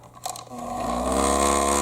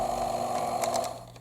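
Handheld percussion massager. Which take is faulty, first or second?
first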